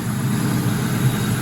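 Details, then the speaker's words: 2004 Ford Mustang GT, 4.6 V8, first start after timing chain tensioner work, run briefly with no coolant; steady, even, quiet idle, slightly fast, no rattle or chain slap; normal idle. "she sounds quiet all right we won't let her run long because there's no water or nothing in there"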